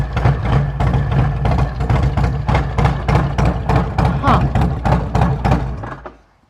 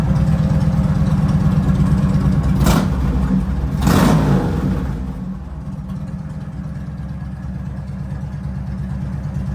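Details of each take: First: Harley-Davidson twin cam, 75,000 miles, Thundermax tuner, heard at the throttle body: lumpy uneven pulses about three a second, no throttle response, fading to a stall. Owner suspects a shorted or failed throttle body or an ECM issue. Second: Harley-Davidson V-twin ("the Hulk"), fixed earlier, started right up: after two throttle blips, even loping idle about three beats a second with no misses; healthy.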